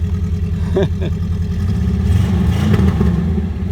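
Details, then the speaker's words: VW Vanagon Westfalia engine, first run after sorting spliced wiring and Hall sensor: revs up with a raspy, puffing exhaust note under throttle; small holes in the muffler leaking, otherwise running strong. "it's got uh Muffler problems little holes in the muffler but it [Music] runs pretty stoked"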